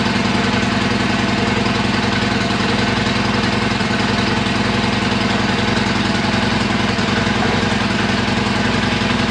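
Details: Harley-Davidson Iron 1200 after a dead battery, ignition left in accessory, charged about half an hour: steady loping V-twin idle at about 214 firing pulses a minute, even with no misses; sounds healthy.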